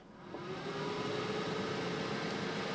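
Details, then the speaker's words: Oupes 1800 power station during DC discharge test from 100% charge, just under 10 A at 11.7 V: cooling fans kick on quickly, soft airy white-noise hiss with faint steady tone, about 52 dB; normal, not intrusive. "can hear the fans kick on. Now, it's not especially loud, but just so you can see. So right at about 52 decibels. With a nice, quiet, white noise sound."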